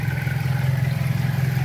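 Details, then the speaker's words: Pointer 1.8 after addressing the ignition corrector ("muela de tiempo") near the battery: steady low idle with an even pulse, no longer shaking as before. It has improved somewhat but still needs calibrating. "Y vean, amigos, ya mejoró el motor poquito, porque hay que calibrar también, pero ya no se mueve como antes."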